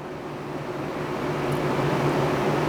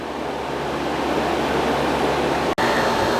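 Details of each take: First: Danby 3-in-1 portable air conditioner, about 12,000 BTU with inverter compressor: steady low hum and soft fan rush, 57–58 dB at the unit; quiet normal running. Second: Fridgemaster 12300 BTU portable air conditioner with a conventional compressor on its single fan speed: loud steady hum, rushing air and low drone, about 63 dB at eight to ten feet, cycling off briefly, then running again.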